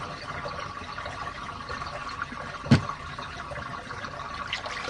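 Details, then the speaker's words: RV washing machine draining after a 15-minute hot-water deep clean: quiet steady trickle of water with a soft hum underneath, no grinding or gurgling strain; the drain works fine, though the hose needs some fixing. "Anyways, time to drain it out. Gosh, I miss this thing, guys. There's one problem. He needs to fix the hose a little bit. But other than that, it looks like we're good. Sounds like we're doing good for now."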